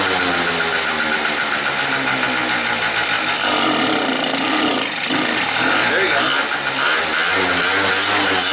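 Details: 50cc two-stroke scooter with a suspected lean condition: thin, buzzy idle sagging toward a stall, then holding on when the intake is covered, suggesting fuel feed to the float bowl is not the issue. Engine dying at idle.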